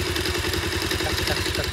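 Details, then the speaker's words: Bajaj Pulsar 220F single-cylinder: light, quick ticking at idle that keeps time with the engine. The owner says it has been present since day one and was much louder earlier, perhaps less now it has cooled. Cause is not identified. "इस problem क्या है आपको सु अभी हम देख टिकटिक की आवाज आ रही"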